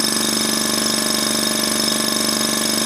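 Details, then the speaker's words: Iwata Sprint Jet airbrush compressor switched on with nothing attached, running unloaded: an even, steady buzz with a quick regular pulse and no rattle, which is normal running. "so I'll just turn this on and you can hear it just buzzing away"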